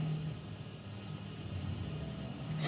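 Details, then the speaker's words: DF51 refrigerator after repairing a noisy compressor (motor) and charging with R600 gas to about 3–4 psi: a low, soft, even hum with no knocking or rattling. The compressor runs quietly and perfectly, and the condenser grille is warm. "veja que não tem barulho nenhum mais trabalhando perfeitamente"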